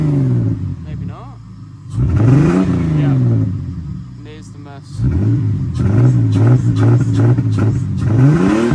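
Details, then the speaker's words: Ford AU Falcon misfiring under decent/heavy load after new leads, plugs, fuel filter, cleaned TPS and MAP work; on sharp throttle blips a ragged, stumbling miss appears then clears, owner narrowing it to fuel pressure, possibly the pump. "There's a miss with like a sharp blip. But then it clears."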